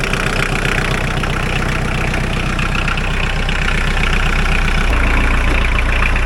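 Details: Mahindra 4110 tractor diesel, after repair of an overheating-blown head gasket, coolant treatment added; test-driven 3–4 miles with no leaks. Even, deep beat and steady rhythm, no knocks or misses: normal running.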